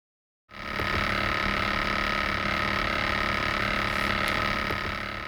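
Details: MacBook Pro fan whirs with a steady tone over a fast, rattly chatter of about four clicks a second.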